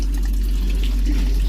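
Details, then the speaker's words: Raw water intake on the Hummingbird trawler's marine air conditioner, after a Barnacle Buster flush, gives only a thin trickle instead of a gush even when fully open. An intake clog, possibly a hose, is suspected. "I've got water I've got it completely open and that's all the water that's coming out that's just a trickle that should be just gushing out of there"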